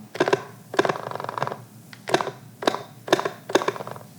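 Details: Sony A7-series (A7 IV) camera powered off, lens removed, body tilted: short bursts of light rattling clicks from the free-moving in-body image stabilisation (SteadyShot) sensor; normal when off, silent once powered on with IBIS active.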